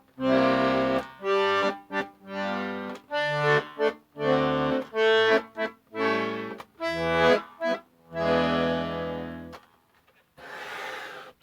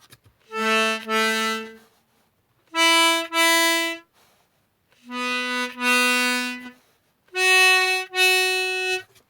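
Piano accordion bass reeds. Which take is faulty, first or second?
second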